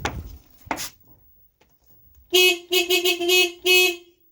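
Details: Chevrolet Aveo T200 whose horn did not work at all, tested after the repair and reassembly; four short, clear horn blasts with a steady bright tone and quiet between them; the horn now works properly.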